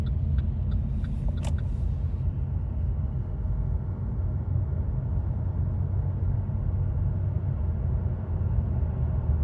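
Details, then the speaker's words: 2008 Chevrolet Impala after rodent-damaged wiring repair and a used same-year TCM from a wrecking yard, road test through second, third and overdrive: steady road rumble, no flare, slip or clunk; normal automatic shifting. "Third. Overdrive. Yep, we got all the gears. It's driving fine."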